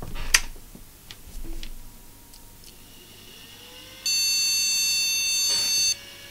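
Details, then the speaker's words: Flea-market PC tower powered on with RAM removed: a single continuous long high beep of about two seconds, the BIOS reporting no memory detected; slots to be cleaned and PC133 RAM retried. "it's telling us there's no run those long bleeps"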